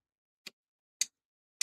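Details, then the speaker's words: Desktop PC at power-on on the repair bench, SATA drive power cable unplugged, NVMe slots present: three sharp, dry ticks about half a second apart, likened to an electrical arc or pop at switch-on, then a different noise as the board lights up; cause unexplained. "Do you know when you flick an electrical thing on, you can hear it arc and it it kind of pops a little bit. It sounded a little bit like that"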